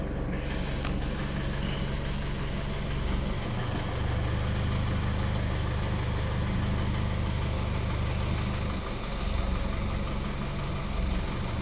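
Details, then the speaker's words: Isuzu D-Max/MU-X diesel after replacing faulty evaporator temperature sensor (GM 981-39383): steady idle gains heavier, fuller low drone a few seconds in as AC compressor engages and RPM rises; aircon working normally. "Ayan, gumagana. Tumataas yung RPM. Opo nga. Okay, gumagana ang aircon. Nagbabago yung RPM."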